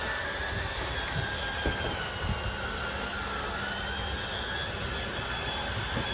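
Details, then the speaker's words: Jayco Jay Flight 34RSBS travel trailer slide-out: even electric whir with slowly shifting pitch, smooth without knocking; button held until slide is fully out; normal operation. "I'm just gonna hold until you hear a little grinding sound that's you know it's all the way out um obviously once you hear that noise let go of the button so that's all the way out run this one out as well"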